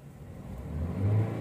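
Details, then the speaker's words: 2012 Honda Brio, 80,258 km, check engine light on: petrol engine revved in neutral feels heavy, stutters then rises slowly and unevenly; misfire, also limping at idle. "Hai berat gasnya Hai jadi Hai ada nyendat dulu baru naik Hai kayak gitu ya"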